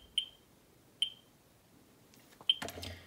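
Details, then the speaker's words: Ludlum 14c Geiger counter with Ludlum 44-3 gamma scintillator, set to x1000, audio on, near a radium-painted Westclox Big Ben clock: meter barely moves but three sharp high chirps at uneven intervals; normal chirping. "the meter doesn't really move that much but you can hear the audio chirping"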